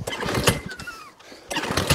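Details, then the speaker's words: Job-lot lawn mower, pull-start; rattly compression puffs on each pull but never fires, doesn't sound right; cranking, no start. "come on baby nothing at all"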